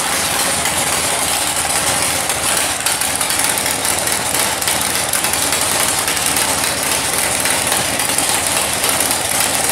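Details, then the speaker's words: 1964 Ford Falcon rat rod with 496 stroker V8, after sitting in a shed: loud, rough, lopey big-block idle with a steady even rhythm, no knocks or misses; normal idle. "And yeah, fact checkers said, yeah, it still runs. Yep. Let's crank it up again."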